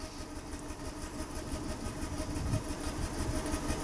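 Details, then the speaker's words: Petrol engine idling unevenly after a misfire is induced by unplugging cylinder one, stumbling about three times a second; exhaust pressure drops at the tailpipe on each dead miss. Single-cylinder misfire at idle. "the pressure's dropping down here, and you can, I don't know whether you hear it, foot, but that, the drop in pressure there at the tailpipe, it's the same as the old dollar bill trick where you put a dollar bill up to the tailpipe, and every time you get a dead miss, it'll suck the dollar bill back into the tailpipe."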